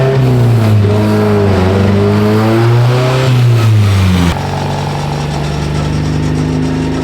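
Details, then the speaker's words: Naturally aspirated ITB engine on the dyno, full-throttle pull while cold: revs climb then waver, stumble and drop off; intermittent fueling issue, pump fuel line found apparently faulty after pump removal. "All right, we didn't really make it through the first pull. We still had a feeling issue that we had in the last video. It was kind of intermittent."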